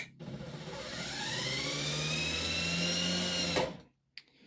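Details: Truma SER caravan mover bought as spares or repair (reportedly wouldn't drive onto the wheels, gave fault codes), tested after a reset with a bypass in place: motor whirs up to a steady rising whine for about three seconds, then stops cleanly; runs normally.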